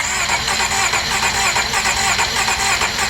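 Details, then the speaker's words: 2006 Honda Accord 3.0 V6, keys off, intake off, remote starter cranking with compression tester: steady even cranking about 1.5 pulses per second, reading about 175 psi total; normal cranking with good compression. "about 175 at Peter's eye we can keep going and it'll keep going up see but it's very incremental so once you get that last sweep that is your total compression of course 175 is awesome"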